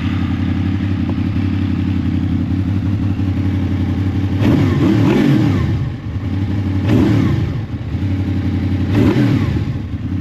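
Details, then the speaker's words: Honda VFR800 VTEC V4, fully warmed, after replacing valves, cam chains, tensioners and guides and synchronizing: uneven light rattle at idle, still there through blips with the clutch lever released and silent when it is pulled in. Clutch basket rattle. "gdyby nie sprzęgiełko teraz mam wciśniętą flankę teraz puściłem to by zupełnie była cisza"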